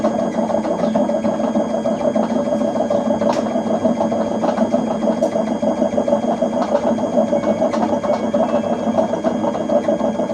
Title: LG washing machine making loud noise #noisy #lg #washer #repairs